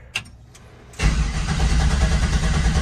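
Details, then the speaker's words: 1967 Chevrolet C10 during transmission swap: quiet, then steady starter cranking about three turns a second that never catches; fuel pump running, cause unknown. "just doesn't want to fire fuel pumps running I mean like I'm just like at a loss right now"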